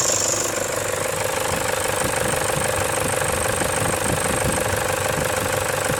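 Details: 2007 Toyota Hilux with 2KD diesel engine, timing and alternator belts recently replaced: idle clatter with an intermittent, unbearable high whistle and screech, sometimes fading, first suspected at the air intake; exhaust gasket leaking at the turbo outlet.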